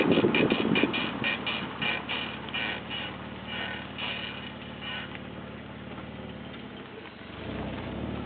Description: A scraping sound my brakes are making.